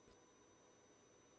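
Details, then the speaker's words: Centipede arcade board with the watchdog disable shorted: it stops resetting and gives a faint, unbroken high constant beep with no break or restart. "So, if I if I short the disable watchdog, see, it's not resetting anymore because you It's just a constant beep now."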